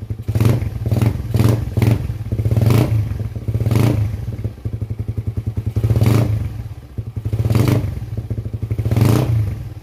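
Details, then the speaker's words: Single-cylinder engine just after installing racing camshaft: repeated throttle blips with even firing beat, no knock or rattle; engine noise normal, power gain still to be tested. "yung andar ng makina. So hindi naman maingay, normal lang yung ingay niya."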